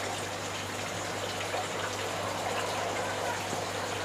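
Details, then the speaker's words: Small 40 W pump in the sump tank of a home RAS tilapia fish-farming system runs nearly silent with a faint low hum under a steady rush and splash of falling water; normal running, the noise is mainly falling water, which lowering the water level reduces. "Jadi yang bunyinya adalah bunyi air."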